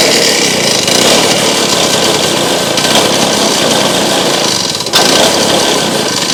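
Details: Restored Victa two-stroke go-kart engine started with rear wheels raised after priming the carburetor, throttle held open (it ran poorly before): sharp, high steady buzzing that fires evenly with no misses or surging; running properly.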